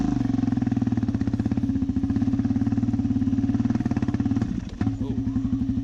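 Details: Arctic Cat DVX400 / Suzuki LTZ440 single with big bore rebuild, first run after rebuild (sputtered badly before): steady quick single-cylinder thump, one brief stumble midway then picks back up; running fine.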